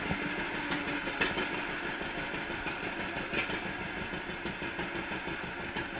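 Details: 1942 John Deere Unstyled A twin-cylinder, previously stuck engine, first start after conversion and new spark plug wires: steady, busy running with an even, clattery beat and no missing or knocking; normal running.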